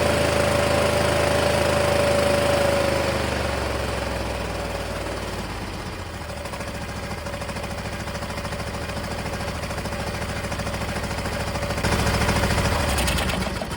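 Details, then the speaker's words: MTD Gold garden tractor, 26 hp Briggs & Stratton. After the fuel shutoff solenoid was hooked up and a proper 20 A fuse fitted, it starts easily on choke and runs a regular, even beat on both cylinders. Previous owner suspected lost spark; ignition coil not the problem. "I can't believe it started that easily. It's clearly running on both cylinders."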